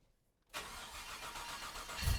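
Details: Freshly rebuilt 1998 GMC Sierra, 13,341 miles, first start after rewiring: silence, then engine catches and settles into steady even idle with deep rumble; clean first start.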